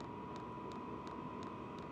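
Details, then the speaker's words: Vevor diesel heater with a quieter direct-fit replacement fuel pump, priming: soft, even ticking about three times a second under a louder blower and exhaust. Normal fuel pump ticking. "I mean I hear more exhaust and blower sound than I do this fuel pump that's pretty impressive I would say"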